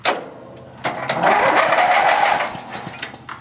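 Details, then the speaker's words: 14 HP opposed-twin Briggs & Stratton small engine that sat unused, no battery, cranked for about two seconds on a jump starter: quick even chugging, no dragging or locking. Starter works, engine turns freely. "We're just going to crank it just for a couple seconds just to make sure the starter and everything still works."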